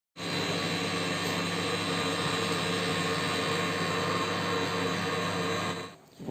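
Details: LG microwave oven runs with a loud, steady buzzing roar from a failing turntable motor under the oven floor, then stops with a clunk; fixed by replacing the turntable motor.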